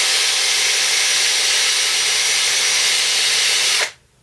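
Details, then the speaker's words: DeWalt 18V XRP cordless drill, a couple of days after armature cleaning fixed smoking and burning smell: smooth steady high motor hiss at constant speed, no knocks or grinding, clean stop; working perfectly, no problems. "The drill is working perfect now. It's been a couple of days. No problems."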